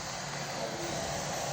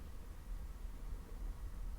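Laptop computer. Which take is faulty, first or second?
first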